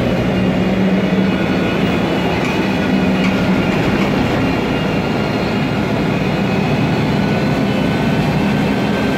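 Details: 2007 MAN Lion's Classic CNG city bus, MAN E2876 LUH03 EEV turbo engine, Voith DIWA 864.3 4-speed automatic, noisy Voith gearbox: steady low drone with faint constant tone under way; automatic transmission whine.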